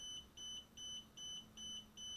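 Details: DJI Spark remote controller keeps beeping evenly about 2.5 times a second during a Wi-Fi check showing channel 149, 5.8 GHz, strong signal and no interference. Beeping starts about 15 seconds after power-on, with the LED alternating red and green. Constant warning beep.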